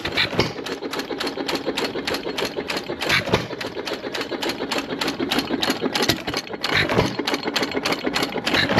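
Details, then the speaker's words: Sattley hit-and-miss gas engine after Wico EK magneto repair: steady, even train of sharp ticks and pops with no misses or knocks; normal running. "good running Motors they usually sits in our display down low pressures and that's one of the first ones we start up in the morning"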